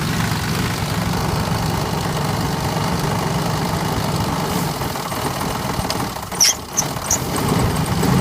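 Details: 2000 Jeep Grand Cherokee Laredo 4.7, 175k miles, replacement block after a head gasket failure and overheating: rough idle with knocking and rattle, sputtering at 1000–1500 rpm and coil/misfire codes; mechanic diagnosed two slapping pistons and a badly slack timing chain.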